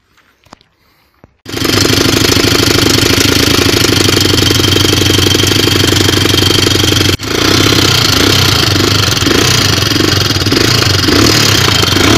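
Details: Honda XR250R engine that died after riding about 10 km, with black Motul oil: a harsh hammering knock about four times a second over the idle right after start-up. The roller bearing is failing.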